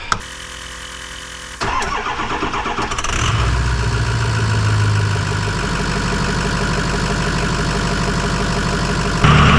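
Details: Ford 6.0 Powerstroke diesel truck just fitted with an S&B cold air intake (part 75-5070), started up: a brief crank, then it catches cleanly and settles into a steady, even idle clatter with no misses or knocks. Normal start and idle.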